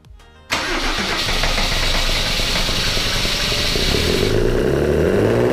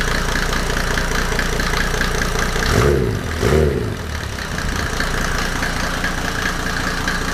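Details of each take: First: W124 with OM606 turbo diesel on first start after a new battery: it catches after cranking and races to a loud, high, steady clatter because the throttle was held partly open. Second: W124 with OM606 turbo diesel just after first start, no intake manifold fitted: steady diesel clatter at an even idle with a brief dip midway. The owner had worried the timing was off, but hears no nailing; a healthy idle.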